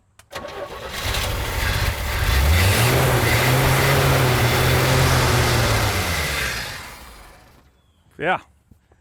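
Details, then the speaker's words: 1983 GMC Sierra 250ci straight-six, sat 17 years, new rotor, distributor cap and plug wires: catches, revs a few seconds and winds down; runs only briefly on carb cleaner with no fuel supply. "all right so we heard it fire up sounds good for one second at a time"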